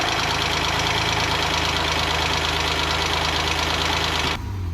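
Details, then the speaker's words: 2010 Acura TL SH-AWD, 3.7L J37 V6, after timing belt replacement: steady, even idle with light, quick valve-train ticking, which turned out to be normal for this engine. "I was a little concerned about the valve train noise from the J37, but apparently that's decently normal that particular engine sounds like that."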